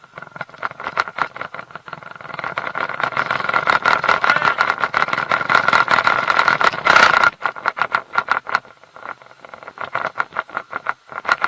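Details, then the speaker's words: Mercury 150 HP outboard running in gear with uneven metallic knocks and rattles, about three a second, over a steady whine: prop chatter from a loose propeller torqued to only 40 ft-lb instead of 55, fixed by tightening to 60. "it's when the propellers loose on there and when you put it in gear it rattles and knocks"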